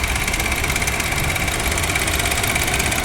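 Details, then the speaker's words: Honda Jazz GK idling with AC on, listening near the AC compressor: steady whirring hiss with a thin ringing tone; pulleys, alternator and water pump ruled out, noise traced to compressor area. Cause suspected, unconfirmed. "โอเคเสียงมาที่คอมนะครับผม"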